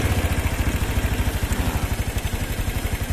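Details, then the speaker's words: Single-cylinder motorcycle after service, carburetor mixture screw set to highest idle then idle throttle lowered: steady, even putter at about nine beats a second with no stumble or hunting; clean, settled idle. "kalau udah dapet ini langsung gini berarti udah mantap seperti itu ya langsung jos"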